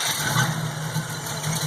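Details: 1967 Pontiac Firebird after tuning its replacement Holley 670 Street Avenger carburetor, started with just a bump of the key: the engine catches and settles straight into a steady, even low idle with no stumbling or hunting. Normal, healthy idle.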